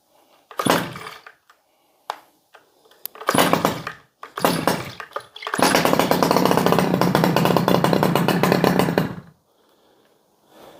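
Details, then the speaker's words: Stihl 011AV chainsaw, first start: sputters through short blips, then holds a burbling, slightly blubbery rev for several seconds; running a little rich. "come on she's oiling sounds like she's running a little bit Rich I'm gonna grab my screwdriver"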